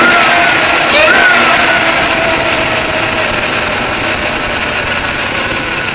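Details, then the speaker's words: Supercharged LS1 Tonner at first startup on a cold ~7°C morning, untuned: sharp steady high belt squeal over rough idle; owner plans to check belt alignment and idler pulley bearing. "Got a bit of a belt squeak. I'll have to play with the alignment a little bit."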